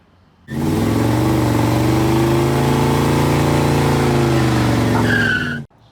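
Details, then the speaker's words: 1962 Jeep M170 ambulance, four-cylinder petrol engine rebuilt a couple hundred miles ago, idling: steady low tone with a faint regular knock about four per second; suspected rod knock, engine going back to the builder. "It's making a little bit of noise, so it's going to go back to the engine builder and have that checked out. It was actually rebuilt just a couple hundred miles ago, and there's something going on with it"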